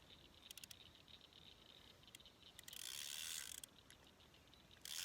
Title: Bass on jitter bug (that clicking noise is the reel because it’s old)not the drag